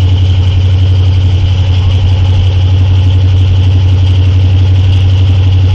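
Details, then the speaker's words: 1981 Ford 400 modified V8, first cold start after rebuild, at idle: loud steady rumble with a thin constant high whine; onlookers suspect a fan belt or a damaged fan blade, unconfirmed. "What's that sound? Sounds like either a fan belt's making a noise or it's your fan is gonna. If one of your fan blades get tapped or something, because it sounds like it's."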